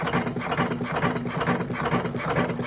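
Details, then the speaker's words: Electric cigarette rolling machine in manual mode at 100% speed, set for 47 cartons per hour, in final tests before delivery; even, unstrained clatter about twice a second, quieter than the speaker's voice; rolls come out well, running smoothly. "benim sesimden makinenin sesini kıyaslayınız şuradan hemen şöle biraz açalım Evet şu an sarımlar gerçekten güzel"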